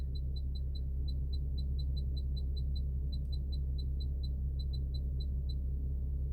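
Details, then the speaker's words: 2015 Infiniti Q50 AWD after SD card fix: quick high chirps about three per second over a steady low hum, only when the camera view is selected; electronic chirp from the display unit, cause unknown. "So, when I go to the cameras, you hear that little chirping."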